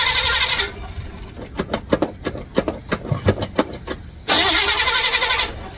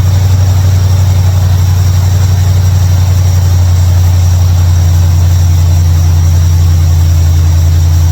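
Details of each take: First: 1955 Chevrolet Bel Air, carbureted, started via bypass ignition switch wired to battery positive: starter cranks at about five or six beats a second but never catches; switch found good, no fuel reaching carburetor; crank no start, fuel starvation. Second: 1955 Chevrolet Bel Air carbureted after adjusting mixture screws; deep, even idle with steady low rumble and no stumbles or misses, idling way better.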